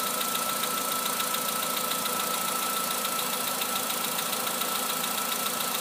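Steady fast idle with a light, even ticking knock riding over it and a thin whine on top; sounds like a piston knock. Cause suspected, not confirmed.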